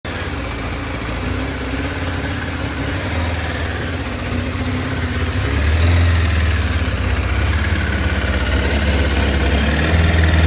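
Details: 2007 Kawasaki ZZR600 (Ninja 600) idling roughly: deep, uneven pulse that swells and sags every few seconds; cause unknown.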